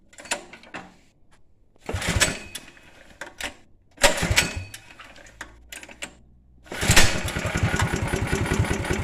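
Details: 1962 Wheel Horse 502 with a Predator 212 engine: several short bursts of cranking and sputtering with pauses between, never settling into a steady run. It cranks but won't start.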